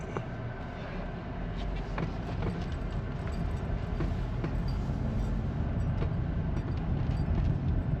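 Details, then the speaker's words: GMC Terrain with small turbo four-cylinder, driving after replacing the failed brake-assist vacuum pump: smooth low engine hum under road and wind noise, no clanking or ticking; far less engine noise than before, the old pump was likely clanking. "lot less engine noise already so that pump's probably been going for a while and I thought it was just the little forbanger clanking away but definitely sounds a little happier"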